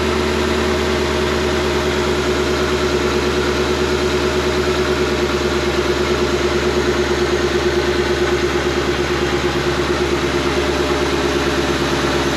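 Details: Shelby GT500 supercharged V8 after its bent AC compressor pulley was refitted and the clutch reshimmed. Steady, even idle with a smooth belt whir and no squeal, chirp or knock; belts spin straight; normal idle.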